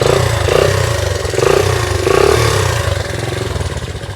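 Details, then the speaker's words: 1982 Honda XL80S single-cylinder motorcycle that sat for years, just kick-started: thumping, slightly hunting uneven idle that swells and dips; cold engine running and still warming up. "Oh, see, it's still got to warm up a little bit. So let's let it warm up."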